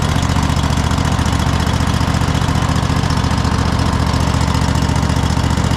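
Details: Cub Cadet GT 1554 V-twin mower unused about 2 years, after carburetor cleaning, new fuel filter and flushed tank with fresh gas: even steady low putter at constant idle with no misses or surging; normal running.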